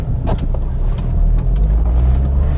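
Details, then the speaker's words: 300,000-mile Volvo XC70 D5 five-cylinder diesel driving on a cold day: deep, steady diesel drone pulling cleanly under load with slightly lumpy, imbalanced-sounding five-cylinder beat; pulls all right, normal acceleration. "I know I'm in the minority, but I'm not a big fan of the D5. Noisy old clumsy engine, in my opinion. And the fact it's a 5-cylinder always means it sounds a bit imbalanced."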